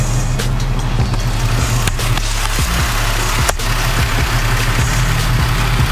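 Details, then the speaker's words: 2007 Chevy Impala after power steering pump, pressure hose and belt replacement, after a drive to purge air: steady low engine idle with no whine or groan; power steering pump quiet, normal idle. "all again everything seems to be running good to me what about you so everything seems to be running good this is ready to go"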